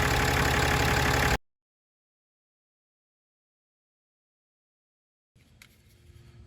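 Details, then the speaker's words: 2017 Ram 3500 Cummins diesel started after changing both fuel filters, checking for air in the fuel system and leaks: short burst of even, steady idle clatter, no stumbling or hunting; healthy idle. "Time to start it up, make sure we don't have any air in the system."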